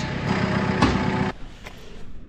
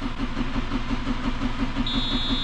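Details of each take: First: Farm diesel after extended priming to clear air from the fuel on a frosty morning: settles into a steady, even low rumble with no misses or stumbles; back up and running normally. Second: Farm diesel on a frosty morning around minus 7, air in the fuel after priming: steady rhythmic cranking at about three strokes a second that never catches until it is primed longer and builds pressure.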